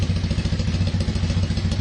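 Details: Kawasaki KZ440 single-carb, warm, after carb cleaning and clogged pilot cleared, air/fuel screw set one turn out: low, even exhaust pulses about ten a second with no hunting or misses; idle steady.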